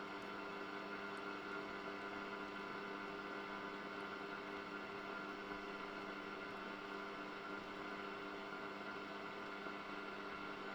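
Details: 1974 Hacker Super Sovereign RP75-MB transistor radio, tuning across the dial: even featureless hiss with faint whine, no stations; suspected the oscillator is not working, unconfirmed.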